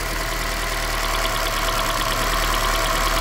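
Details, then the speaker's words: Sharp snapping ticks in time with the engine at a fast idle over a steady hum on a misfiring, shaking 2010 Toyota Corolla; spark heard jumping from a lifted ignition coil. "O aunque no tuvieras un escanner en ocasiones puedes hacer esto para escuchar La chispa porque se escucha"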